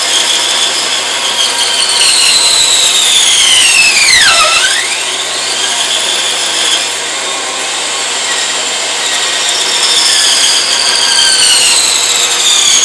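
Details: Sawing a branch for pen blanks; internal stresses from the branch's growth pinch the wood onto the blade. A shrill squeal dips sharply in pitch as the blade bogs, then recovers: the blade is binding.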